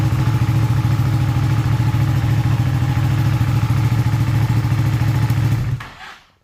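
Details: Ducati 959 Panigale race bike, earlier a crank-no-start with no ECU error codes, started on a slightly low battery: the twin catches and runs at an even, steady idle with a firm low thump, then shuts off cleanly; normal start and idle.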